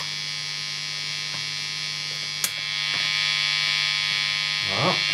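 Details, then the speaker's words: Strat with Lace Sensor pickups: a steady low buzz with a fizzy top, mains hum induced by a switched-on soldering iron sitting right next to the strings. "I have the soldering iron switched on, and it's right next to the string, so it does this."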